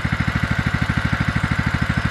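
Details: 2004 Craftsman LT1000 riding mower, Kohler Command Pro 16 single-cylinder, first run after purchase, choke used, heavy burnt-oil smoke clearing: even, steady pulsing of about twelve beats a second with no misses or knocks. Normal idle.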